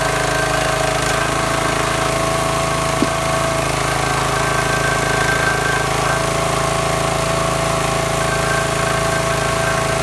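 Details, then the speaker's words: New wood splitter engine after draining water-contaminated fuel, flushing the tank and refilling with clean fuel: a steady, even drone with no sputtering or missing like before. "all right now you can hear the splitter running it's not spammering and missing like it was before"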